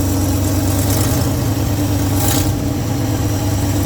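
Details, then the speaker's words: Old Ford F100 V8 revived after long storage; mice suspected of damaging dash wiring. Ignition wire repaired, initial mechanical advance set, no vacuum on the ported port during timing. Deep, steady rumble at an even idle with no miss or stumble. "It's annoying how much better it does, you know, when the ignition wire actually works. There we go."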